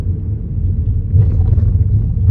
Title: Kia niro clunking noise going over speed bumps.